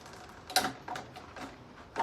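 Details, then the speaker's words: 1989 Kawasaki KX125 gearbox check, shifted up from neutral through six gears and back: crisp single clicks about every half second in a quiet room; gearbox shifts normally. "that's first second third fourth fifth and sixth back down to fifth fourth third second and neutral"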